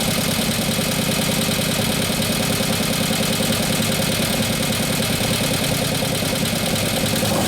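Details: 2015 Harley-Davidson Road Glide 103ci Twin Cam after camshaft install and new oil pump, first start at idle: fast steady ticking clatter over a lumpy V-twin idle; lifters not yet pumped up, so valvetrain stays noisy.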